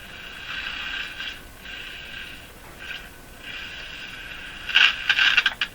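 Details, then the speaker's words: Crosley-branded Moffat G-165 five-tube radio on first startup after capacitor replacement, being tuned: scratchy, hissy crackle coming and going in uneven bursts; owner suspects a short or dirt in the tuning capacitor, not confirmed. "oh that was like a short in the Capa in the tuning capacitor or some dirt or something funny it would come and go like that"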